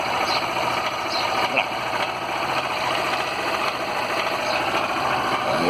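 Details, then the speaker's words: Small Honda Fan motorcycle idling steadily with a fast, light ticking from the cylinder head after oil change and service; several shops called it normal, owner insists it isn't; top-end noise, cause unknown. "Aí ela apresentou esse barulhinho aqui, ó. Acho que ainda tá ouvindo, ainda não?"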